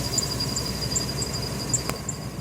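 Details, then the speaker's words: Van serpentine belt tensioner pulley, seen moving all over the place, heard at idle from underneath: a faint, sharp chirp about two and a half times a second points to a worn, wobbling tensioner pulley. "Yeah. So that's my tensioner pulley, and it's like moving like that."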